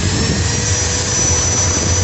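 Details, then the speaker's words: Maktec MT90 angle grinder running: an even high-pitched motor whine over a steady hiss with no surging or grinding; only slight sparking from the carbon brushes rubbing the armature commutator, which is harmless; normal running. "Nah di sini hanya ada sedikit percikan, itu kalau percikan seperti ini doang sih nggak masalah ya, itu karena gesekan antara karbon brush dengan kolektor angkornya guys."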